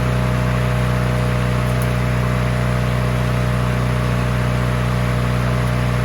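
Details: Free push mower that sat 6 years with water in the engine, after an oil change with its over-high throttle rigged lower and before the head gasket job: a small single-cylinder engine holds a steady, even drone at fixed throttle with no misses or surging. It runs normally.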